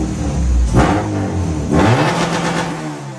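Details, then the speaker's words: 1999 Honda Civic EK coupe with a B20 VTEC swap, after starter work and a fix for an intermittent fuel cut: two quick, clean blips with no stumble or cut-out; a throwout-bearing squeak was noted. Normal revving. "we are golden she's back to running baby again"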